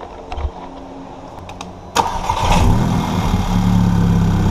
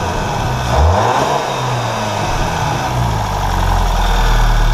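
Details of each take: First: VW GTI Stage 2 cranks into a loud, coarse, raspy lawnmower-like run; supplied gasket totally failed a week after aftermarket downpipe install, causing a massive exhaust leak; to be replaced with an OEM gasket. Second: VW GTI turbo petrol engine with aftermarket stage 2 downpipe, after the failed downpipe gasket was replaced with a factory gasket. Idles and revs with a smooth, deep exhaust note and no ticking or puffing. No exhaust leak.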